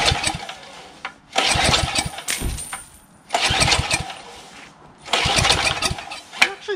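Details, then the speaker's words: Craftsman 3 HP Tecumseh lawn edger that had water in the engine, oil changed, spark present: three rough pull-start bursts, never catches; corroded carburetor filled with ice starving it, carburetor later replaced. "for some miracle it actually does fire up i doubt it though because the carburetor is filled with ice so i'm going to try to put um fluid all the way through the intake"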